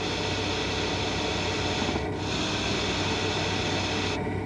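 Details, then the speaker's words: GM power steering: steady high-frequency hiss like a tire slowly deflating, most noticeable when steering with the vehicle stopped; fluid passing the rotary valve orifice edges at high speed; normal, though if very loud check hoses and lines for restrictions or internal play. "O assobio é um som de alta frequência similar ao ruído de esvaziar lentamente um pneu."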